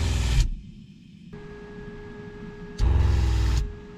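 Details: RV water pump buzzes about half a second, stops, then restarts briefly; short cycling about every 20 seconds because it couldn't hold pressure, caused by a small piece of debris inside; cleaning it out was the fix.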